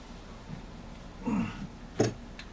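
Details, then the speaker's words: GM 4L60E transmission rebuild, tapping the low roller housing into the case past the case silencer: two dull taps, the second ringing sharper as a solid thunk, showing the housing has bottomed; tap tone change when part seats. "you hear the tone the tone changed when the case starts ringing and you can't tap that down it sounds like a solid thunk you've got it down in there"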